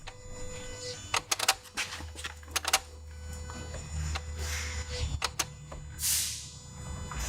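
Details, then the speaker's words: 2017 Toyota Yaris iA (Mazda-built) with intermittent stalling and no-start, code B10E7 Ignition 1 relay, no power at the IG1 fuse. Engine won't start; sharp irregular clicks and ratcheting that quiet while a test light loads the fuse. Failing ignition relay. "as soon as I go to test the fuse the clicking noise kind of gets quieter or quits clicking altogether and as soon as I let off it starts clicking again"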